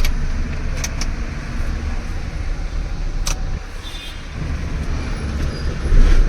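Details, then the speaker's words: Maruti Alto K10 after starter motor repair, with jammed Bendix and worn brushes replaced, for a hot no-start complaint: engine fires promptly with no slow cranking or lag, also with AC on, then settles into a steady, even idle. "ഒരു lag പോലുമില്ല"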